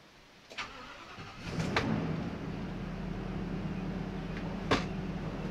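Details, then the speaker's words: Ford V10 gas motorhome engine at idle after insulating and sound-deadening the engine cover; brief crank, then smooth, even low hum with no knocks, much quieter than before, not revving high; normal idle. "it's quieter I think it's a lot quieter of course the inches not revving up real high we're not going up a hill"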